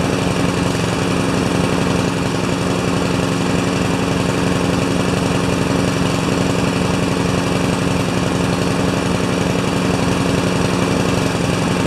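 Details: Craftsman mower with Honda GCV160 engine, in for a released rusty rewind spring, warming up; quick even beat with steady drone, no misses or knocks; runs healthy.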